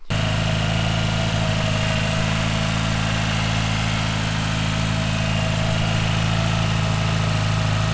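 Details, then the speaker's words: Mitsubishi Evo V rebuilt 4G63 engine with forged internals, Kelford 272 cams and Link G4+ ECU, first start, idling with the auxiliary belt removed: smooth, quiet, no squeal; the squeak came from a worn idler pulley. "i'm just going to quickly start it up for you to hear it without the uh auxiliary belt on so you can hear how quiet is and uh really really happy with that"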